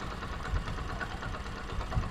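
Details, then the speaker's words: Honda CD 70 motorcycle at idle after a noisy-engine repair using a spring, with the oil level checked. The small single putters evenly with a soft, steady thump and no chain rattle or ticking; healthy engine. "तो यह तो दोस्तों आप देख सकते हैं अल्हम्दुलिल्लाह हमारे भाई का साउंड जो है बिल्कुल 100%"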